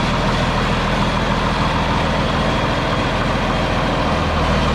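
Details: John Deere 4640 diesel tractor, restarted after being split for a week for a 2-speed transmission transplant, fires and settles into a steady, even low idle with a deep thrum, no knocks or misses; runs normally.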